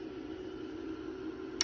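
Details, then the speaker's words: Marantz 2275 receiver powered up slowly on a variac through an isolation transformer: faint steady hum, then a single sharp relay click about 1.5 s in; supply reads 33 V, to be trimmed to 35 V; normal switch-on. "Relay clicks, and we're at 33 volts."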